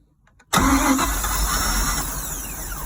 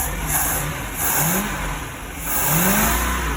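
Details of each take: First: Boat engine cranked by jumping across the starter solenoid, with a little gasoline dumped into the carburetor; the fuel filter was later found to be the issue. Quick crank, then it fires into a rough, rising-then-falling run on primed fuel. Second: Free boat, first start cranked at the starter solenoid with fuel pump primed; fires, revs a couple of times, then drops to a steady even idle with no misses; normal start and idle.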